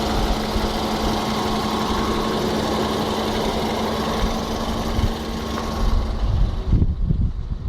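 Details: VW Jetta 1.4 TSI BMY 103 kW at idle: fast, light metallic sewing-machine chatter over steady idle, constant in speed; loose timing chain rattle.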